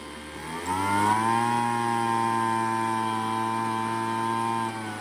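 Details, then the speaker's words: Craftsman leaf blower after carburetor low- and high-speed adjustment by ear: engine picks up sharply to a clean, steady high-pitched full-throttle drone without surging or over-revving; tuning sounds right. "Make sure it's not over revving, because of course that will cause problems. But it sounds pretty good."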